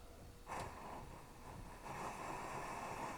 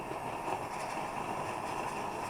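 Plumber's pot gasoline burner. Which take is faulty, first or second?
first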